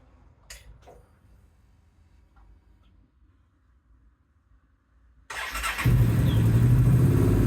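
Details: 2008–2012 Honda XL700V Transalp V-twin test run after replacing both spark plugs: it fires and settles into a steady, even low idle thump. It sounds healthy.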